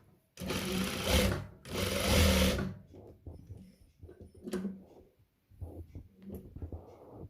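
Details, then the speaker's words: Serviced sewing machine after oiling, stitching black cotton fabric; quick, even buzzing stitch bursts with clean stops, no clatter or knocking; running smoothly as before. "Nah, ini udah seperti semula ya. Nah, udah bagus. Nah, udah bagus."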